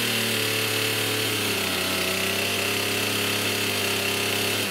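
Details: STIHL MS291 chainsaw with hard starting, bogging and poor idle (fuel sample fine): a buzzy high-pitched drone that sags and won't hold idle when throttled down, and it feels wrong when pulled over.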